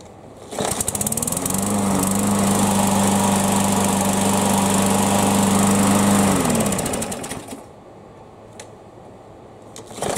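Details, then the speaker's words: Yard Machines mower, run about five minutes from cold then shut off and restarted warm without priming: fires at once, settles into steady even buzz before shutdown; normal warm start. "all right guys it's been running about five minutes I just now turned it off let's see it will if we can start it without having to prime it"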